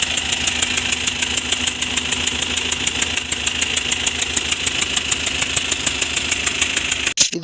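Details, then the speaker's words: Eicher BS6 diesel truck at the workshop with an engine noise complaint, idling: sharp, regular tick and puff about a hundred times a minute. Mechanic judges number one injector O-ring/seal failed. Injector seal leak. "ఇది nozzle పోయినట్టుగా sound వస్తుంది. Nozzle ఓరిగిపోయినట్టుగా చూసుకొని మనం rectify చేద్దాం."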